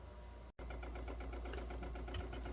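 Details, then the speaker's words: 2007 Pontiac Solstice with the MIL on and code P0442. At the back of the intake manifold, the purge solenoid ticks quickly and evenly, about ten times a second, when commanded on. It is cycling normally. "now i can hear it clicking over here it's usually on the engine"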